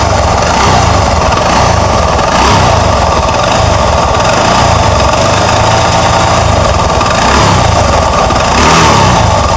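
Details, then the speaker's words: Honda Beat FI automatic scooter running without the CVT fitted: hums when revved and knocks unevenly at low rpm and idle. "Oke seperti yang kita dengar sama-sama saat digas ini muncul suara dengung dan saat langsam ini ada suara bunyi ketukan"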